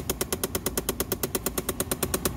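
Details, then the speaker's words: 2011 Chevrolet Impala, key on: rapid even clicking about eight per second from behind the dash near the glove compartment; classic faulty blend door actuator, passenger side more common. "so we have a problem with a clicking noise which is really common on these automobiles"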